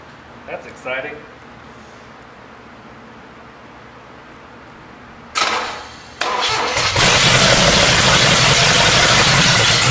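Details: Chevrolet 454 big-block engine on a test run, after fixing ignition timing that was 180 degrees out. Quiet at first, a couple of cranking bursts, then it catches with oil pressure and settles into a loud steady idle. Normal start and idle.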